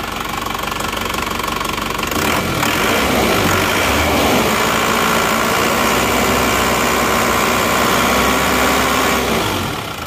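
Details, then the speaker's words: Isuzu Panther diesel that had 15 bar compression, cold idle after new rings: steady, even, regular clatter with no misses or hunting; smoother than before the repair. "ini sudah hilang ya tidak seperti kemarin Kelihatannya sudah lebih halus lebih renyah"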